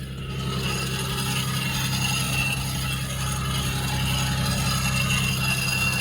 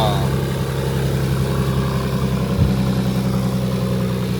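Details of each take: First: Nissan 300ZX Z32 on a jack at idle. Rough metallic rattle and grinding chatter, steady over time, "like a train grinding to a stop"; caused by a seized, chewed-up idler pulley that is being replaced. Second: Nissan 300ZX Z32 engine after replacing a bad idler pulley bearing: smooth, even idle with a steady low drone, no more chewed-up bearing noise or rattle from the accessory drive; bearing fixed, runs healthy.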